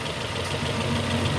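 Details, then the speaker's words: 2002 Nissan Almera N16, QG18 cable-throttle petrol engine after repair: even idle with no misfire. The misfire after a spark plug change was caused by two swapped ignition coil connectors, which were exchanged back. "No more misfires. All because they mix up this and this."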